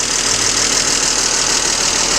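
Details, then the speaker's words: BMW E39 with M52 petrol engine idling, bonnet open, then revved: loud, fast ticking clatter from worn hydraulic lifters. Oil pressure light goes out in three seconds; fixed by replacing all 24 lifters and the valve cover gasket. "капот открыт то есть и какой звук очень сильно стучат гидрики попробую дать газу ужасно сильный звук вот так"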